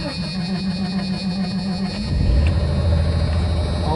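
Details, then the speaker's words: 1989 Jeep Cherokee 4.0L I6 auto, after installing new Remy starter replacing a water-damaged one that only clicked; steady starter whir about two seconds, engine catches cleanly into deep even idle; normal cranking and start. "Yeah, boy! Starter in the house! Well, that's nice. Hooray! Things are running again."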